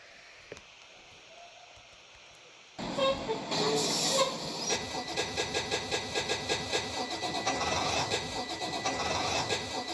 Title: Bus 1000 won't start pt 2